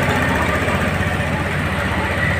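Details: Honda Beat FI scooter after the ECU starter wiring jumper fix for a harsh starter with a weakish battery: smooth, steady idle with an even low rumble, no stumbling or rattles; engine running fine after starting.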